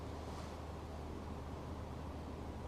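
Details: Cabin ceiling fan on high, after being fitted to a new mount to stop its hum transferring into the woodwork: steady, even low hum with a soft airflow hiss and no hum through the rafters; normal fan operation.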